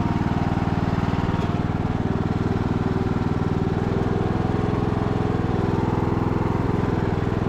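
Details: Abandoned MTD Bolens riding mower revived: single-cylinder engine restarted after fuel valve was found off, blades engaged; steady, even thump at constant speed with no knocks or stumbles, running super smooth and healthy.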